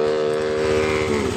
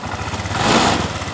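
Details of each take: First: Honda Vario 125 scooter starts and idles normally but stumbles and dies as soon as the throttle is opened; check the DLC socket for stored fault codes. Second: Honda Vario 125 scooter that had died when throttled, after fuel pump fix raising pressure from 20 to 42 PSI: even idle and a clean throttle blip with no stumbling; normal idle.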